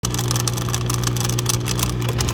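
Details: Dishwasher running: loud steady low hum with rough, gritty grinding throughout; owner suspects something stuck in the motor. Cause suspected, not confirmed.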